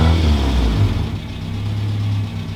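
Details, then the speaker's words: Honda Civic with newly installed cheap eBay cat-back exhaust, revved from inside the car with windows down: deep, smooth four-cylinder rev rising and falling cleanly, steady low drone, no rattles or misses; healthy exhaust. "Okay. Deeper tone. I like it. Nice. All right, well, I think we can live with that."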